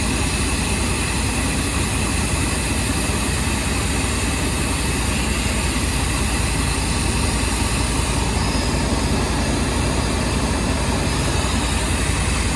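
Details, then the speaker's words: OBS V8 at idle after replacing the spark plug wires (one boot was touching the manifold; misfire suspected): steady, even burble with no skips, all cylinders firing cleanly; misfire gone, plugs still to be changed. "Sound pretty even now. Think I did the job."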